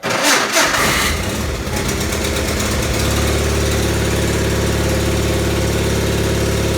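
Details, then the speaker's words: John Deere 318 lawn tractor starter cranking with a loud harsh roar about a second before the engine catches and idles; starter sometimes only clicks solenoid without engaging. "at times it does engage it makes a very loud almost like a roar"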